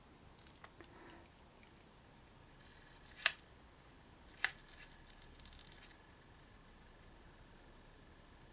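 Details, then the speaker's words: Broken MiniDisc player after swapping in a fresh battery, microphone held close: a few sharp, irregular ticks about a second apart; makes the same two clicks during playback whatever disc is inserted, cause unclear. "so it makes those two clicks no matter what mini discover in there"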